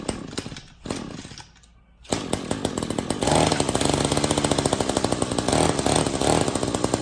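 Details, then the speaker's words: String trimmer that previously would not turn over now rotates freely. After a few pulls the two-stroke starts and runs buzzy and fairly steady, but there is an oil leak around the exhaust that the owner guesses caused the earlier starting problem. "Okay, so the good news is it started up, which is great."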